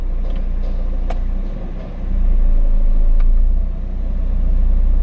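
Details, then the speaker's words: 2006 Honda Jazz CVT after reset and start clutch calibration, with AC on and in reverse at idle; steady low idle with only a gentle rise and fall in revs, no rpm drop and no clicking from the gearbox; normal engagement. "Oke sekarang Coba posisi R posisi R juga lebih stabil dan untuk sementara waktu ini bunyi tidak muncul ya belum muncul ya"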